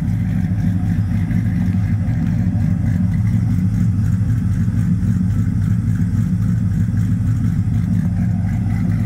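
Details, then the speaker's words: Storm, a Mopar/Ram truck on 545RFE, just fitted with a Circle D Pro Series triple-disc stall converter and Amsoil fluid, with stock camshaft and a lope tune: deep rumbling idle with a slightly uneven lope of about two beats a second; healthy. "good boys that Circle D converter oh yeah listen to that low tune baby"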